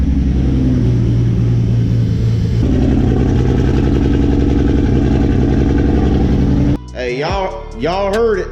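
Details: First start of a 700 hp MK4 Toyota Supra build with BC 272 camshafts, after fixing a poorly soldered connection: deep, steady, choppy lope, even and strong, no misfire; normal running, though a transmission leak was found afterward.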